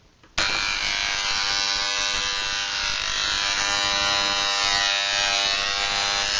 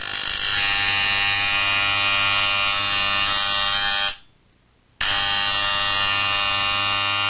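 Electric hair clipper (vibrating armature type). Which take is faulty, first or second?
first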